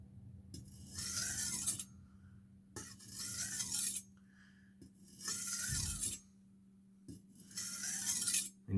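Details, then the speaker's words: Kitchen knife sharpened on a 3000-grit whetstone after 1000 grit, same number of strokes each side: four long, even rasping strokes grinding smoothly along the entire edge length; even full-length grinding. "you should be able to hear the knife grinding the entire length of the blade hear more of that grinding sound as more of your blade gets onto the knife it'll start off with just a little you'll be able to hear it going from the entire length of the edge"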